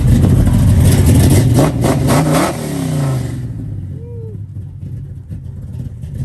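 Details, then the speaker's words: 1972 Chevrolet Nova SS, built 502 V8 with big cam, rebuilt under 10,000 miles ago, 4-speed manual, dual exhaust: deep choppy idle loping about four beats a second with blips; normal big-cam lumpy idle. "Obviously, it's got a big cam in it. Let's listen to this popcorn."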